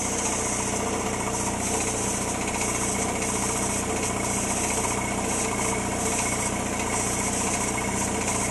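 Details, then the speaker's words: Air compressor over 30 years old, around 40 psi: loud pump beat with an occasional uneven, stuttering labour; drive belt jumping off the pulley track. "See the belt jumping every once in a while? The belt's jumping off the track."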